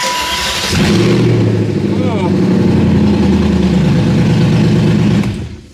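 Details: BMW E39 540i Touring V8 with open headers, after a no-start traced to the flex plate and a known-good crank sensor fitted: it cranks briefly, catches, and settles into a steady, even idle.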